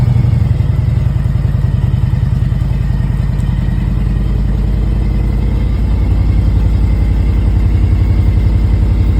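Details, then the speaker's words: 2001 Harley-Davidson Road King Classic, about 97,808 miles, cold start after four months sitting on a battery charger: steady loping V-twin thump, slightly lifting as it warms, no tick or knock; normal cold idle. "so it's the first time finished starting in four months"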